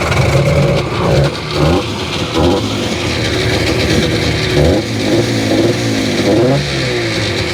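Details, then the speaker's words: 2001 Sea-Doo GTX RFI 787 two-stroke on trailer, hard to start, reportedly had water in cylinder: surges and sags unevenly, revs never holding steady; running rough, cause not yet found. "It's still running pretty rough."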